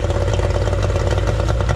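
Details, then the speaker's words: 1989 Yamaha 30 hp two-stroke outboard after completed exhaust gasket repair: steady, brisk putter with a light clatter and an even beat; running normally, repair successful. "All right, I think we're good. So successful fix here."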